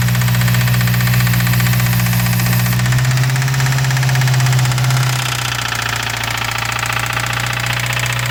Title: 2017 Subaru wrx engine knock sound😭